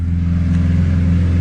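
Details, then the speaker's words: Lamborghini Aventador SV heard from a distance, apparently from a garage: deep steady smooth V12 roar held at high revs, healthy. "oh I know what it is [Music] it's just a Lamborghini Aventador"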